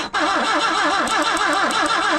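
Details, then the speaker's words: 1974 BMW 2002 sitting over 30 years, on 30-year-old gas: fast, rhythmic starter cranking at about five compression pulses a second, with the engine starting to fire and trying to catch. "there it [Laughter] goes she wants to go no way she going to run on that old ass [Laughter] Fel"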